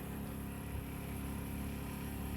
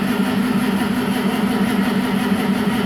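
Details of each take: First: 1963 Mack, first start in years after sitting four years with a suspected bad-gas no-start; battery switch and ignition on, fuel line disconnected at pump; electric fuel pump kicks on with steady low hum, even buzz, no crackle. Normal fuel pump operation. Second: 1963 Mack, first start in years after a no-start blamed on bad gas, choke cable unhooked, rag in intake; runs rough with a faint steady whine once it picks up, owner suspects the water pump. Abnormal engine noise.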